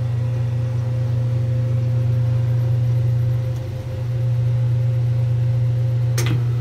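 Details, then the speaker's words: 1978 Kenmore 70 Series washer with new-old-stock motor, belt and pulley, spinning then braking: deep, steady low drone with a brief dip and short clunk as it brakes; the spin sounds healthy. "oh yeah that belt and everything's breaking and that sounded sweet"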